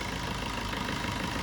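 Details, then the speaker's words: Maruti Swift petrol engine after replacing the alternator pulley and belt: even, steady idle with the flapping, slapping vibration sound from the belt side completely gone; the complaint came from the alternator pulley, not the tensioner. "ഇപ്പോൾ ആ sound പക്ക നോർമലായിട്ടുണ്ട്. ആ sound പടപടപടാന്നുള്ളൊരു sound complete ആയിട്ട് പോയിട്ടുണ്ട്."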